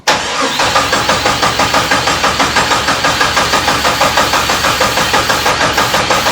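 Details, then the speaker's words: 1972 Jeep Commando with swapped-in 2000 Cherokee 4.0 straight-six, AW4 transmission and 231 transfer case, first start attempt after rewiring: even starter cranking, about three beats a second, never fires; spark issue suspected; crank no start. "[Applause] so it's probably a spark issue then huh"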